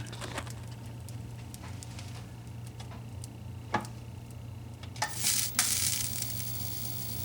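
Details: 25-inch K7000 arcade monitor chassis tested on a known-good tube. Irregular sharp snaps and a sizzling, bacon-frying crackle over a low hum, with the high voltage sounding too energetic. The flyback is arcing and needs replacing; a shorted red transistor is also suspected.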